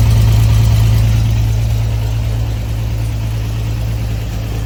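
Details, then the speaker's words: Flooded Corvair air-cooled flat-six after dropped valve seat repair and reassembly, fuel system likely unprimed: catches and settles into steady low hum easing slightly; starts and idles evenly. "What do you say we try and fire it up? I am sure the fuel system is not primed. Here goes nothing."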